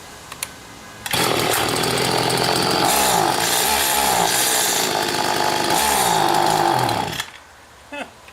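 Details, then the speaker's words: Stihl FS80 trimmer after carburetor rebuild and ultrasonic cleaning, low-speed screw about 7-8 turns out: revs hard about six seconds, pitch wavering and surging, won't pull full high speed; cause unconfirmed. "It's like 7 or 8 turns out now, like the screw's almost out, so technically this circuit shouldn't make a difference with the way a high speed runs."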